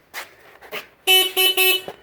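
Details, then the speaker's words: 1959 Triumph T20 Tiger Cub horn (hooter) tested during basic lights-and-hooter checks: three short, clear blasts with a steady, even tone, no crackle or fading; horn now sorted and working properly. "So got the hooter sorted out."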